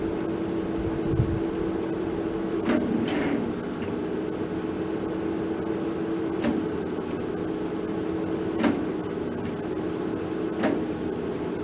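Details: 1947 Farmall M tractor, first start attempt after rebuild, after charging battery; starter hum sags at each compression stroke, only a few labored pulses every two seconds, too slow to fire. Switch ruled out; owner suspects battery lacks juice.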